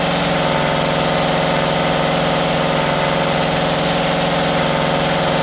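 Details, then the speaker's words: 1978 Camaro 350 V8, warmed to 190 degrees with exhaust fitted: fast, busy ticking clatter over steady idle; lifters rattling, valves still to be reset. "now with the exhaust on there i can hear the lifters rattling so now i can go and uh go through and reset those"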